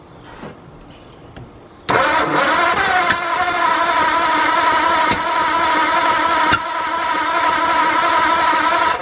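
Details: 1953 Ford project truck with newly installed flathead V8, first start attempt, distributor loose and no timing marks on the balancer: starter churns steadily at about three compression beats per second with no firing at all; cranks but won't start.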